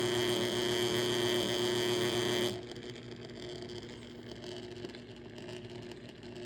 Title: bad bearings in this motor